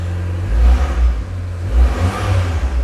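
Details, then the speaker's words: Abarth that another garage couldn't fix, injectors and spark plugs already replaced; cold engine with deep lumpy throb stumbling and surging irregularly, misfire only when cold; intermittent cold-start misfire. "There you go, you can hear it now. It develops a misfire. You hear that? And it only does it when it's cold, apparently."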